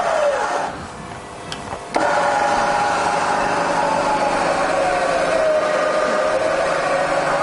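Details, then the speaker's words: Rebuilt Bridgeport Vari-Speed milling machine spindle running in reverse in low range. It spins up to a steady, smooth whine with an even hum and no knocks or grinding. It runs normally. "all fine in low range as well."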